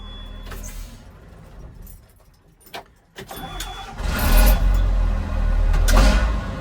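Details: John Deere JD6081H diesel, 10,739 hours, in a 300D articulated dump truck parted out for differential issues, shut off and cranked once more: key rattle, a short crank, then it catches cleanly into a steady, even idle. Healthy restart.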